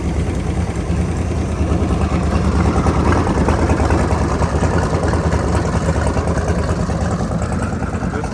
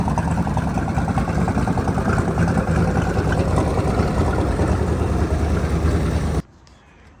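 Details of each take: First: Seeker Craft boat engine with newly installed Berkeley jet pump and new alternator, charging 13 V, batteries a little low: steady low idle with faint quick lifter tick; otherwise running well. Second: Boat engine with a newly installed alternator and a rebuilt Berkeley jet pump, running on a water hose: a steady, even idle with a soft regular beat and a faint light lifter tick; charging reads 13 with batteries a little low, and it runs normally.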